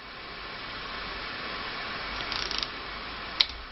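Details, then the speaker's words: Click-type torque wrench tightening a bicycle handlebar bolt, set just below 6 Nm (spec 4.5–6.8 Nm): quiet hiss, then one sharp crisp click as it breaks over at set torque, as it should. "right there I can feel it and I can hear it and I have no no idea have reached the right torque"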